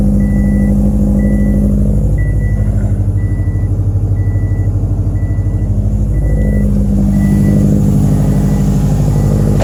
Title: 2007 STI Crazy Idle. Misfire on all 4(3)